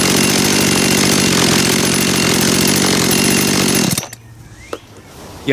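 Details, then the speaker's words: Warm Dolmar two-stroke chainsaw after carburetor cleaning and adjustment, idling smoothly at about 2800 rpm (±10–20). Throttle response is good, then it is switched off. "habt gesehen ich habe die 2800 Umdrehungen erreicht plus minus 10 20 Umdrehungen darüber und mal herunter und die Gasannahme war schon sehr gut"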